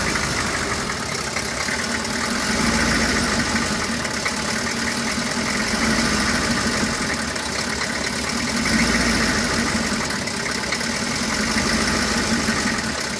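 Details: 1995 Chevy 3500 idling with an uneven, lumpy beat and irregular pulses over a steady rumble; rough idle, cause not evident.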